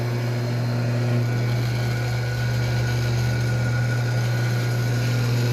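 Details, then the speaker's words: Weber single-phase 2 hp electric motor on a normal outlet after disassembly, cleaning and lubrication to cure a dry strange noise: steady even hum, strong low drone, no rubbing or grinding, running normally. "Show de bola. Muito novo, disparando normal."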